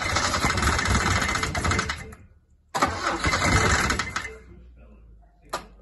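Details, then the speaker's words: Isuzu Bellett GT-R classic being revived, with HT lead refitted: engine catches and runs roughly for two seconds, dies, restarts, then fades out again, won't hold an idle. "I've just freed up the throttle stop screw so I might be able to keep it running"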